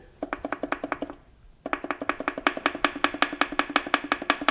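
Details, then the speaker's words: Range Rover L405 3.0 engine stripped down: rapid sharp metallic clacks, about ten a second, as loose bottom-end parts are rocked by hand; connecting rod bearing knock at number two. "Number two, that's where the engine knocking is."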